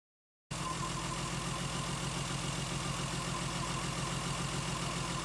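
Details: Lexus IS200 after coolant loss and overheating, codes P0300, P0301, P0302, P2248, cylinder 3 coil already replaced: idle with an uneven, lumpy beat, seemingly on cylinders 1 and 2. A failed sniff test suggests a head gasket failure. Misfire at idle.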